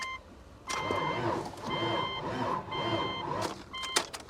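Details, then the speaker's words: Vehicle at auction, booster pack connected: starter whines and drags in slow, heavy surges, about three bursts, and never catches; labored cranking with no start, engine suspected possibly seized, not confirmed. "That sounds like she's kind of froze up. I don't know, it almost sounds like it was getting better."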